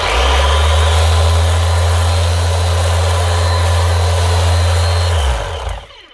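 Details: Makita BO6050 750 W orbital sander after repair of smashed gearbox gear teeth, running in power (gear-driven) mode: strong steady motor hum with an even pad buzz and no grinding or knocking, then a clean wind-down; normal running.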